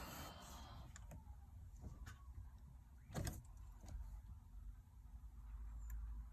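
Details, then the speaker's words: 2013 Dodge Durango SXT that won't start on the key, with the electronic throttle (lightning bolt) warning light staying on: sharp single clicks about a second apart with no cranking. It starts after sitting with the key on, and the owner suspects the crank sensor or the recently replaced starter. "See? That click, then make another click afterwards."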